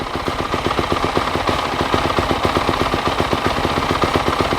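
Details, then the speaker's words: Used 250 dirt bike running on choke while warming up, at idle: fast, sharp popping exhaust beat about four per second, harsh and loud; the exhaust is a little banged up, no tip fitted, cause not confirmed. "loud. It's loud. We gotta get a exhaust tip too."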